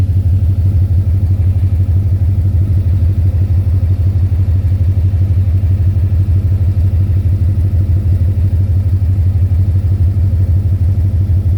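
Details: 2010 Ford Mustang GT V8 at idle: loud steady knock about three per second, louder near oil pan and torque converter/transmission; suspected rod knock, lifter tick or loose torque converter, not confirmed.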